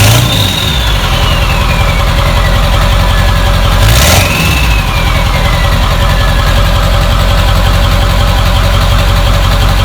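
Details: Ford F-350 with the 7.3 Powerstroke diesel, bought non-running with no oil, running for the first time in years after a gauge cluster/throttle pedal fuse was fixed. A deep, steady diesel clatter holds an even idle after a brief rev. Normal idle.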